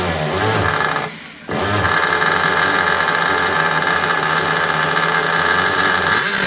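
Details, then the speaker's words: Restored 1/4 scale vintage Italian RC motorcycle with Picco 21 glow engine: buzzes high and even with one brief dip near the start, then picks straight back up; runs fine, though the tick over needs sorting because it stops when the brake is applied. "Whoa. Well, that sounds all right, doesn't it? I've got to get the tick over sorted cuz it's stopping when I put the brake on."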